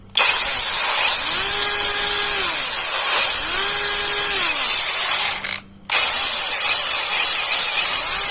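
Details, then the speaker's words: JLD Xenon brushless angle grinder after bearing replacement and reassembly, previously stuttering and dragging: high, even whine spinning up quickly, holding steady and winding down twice, no rubbing or catching; now runs smoothly. "yo yo Hai Ayah lebih enak udah lancar"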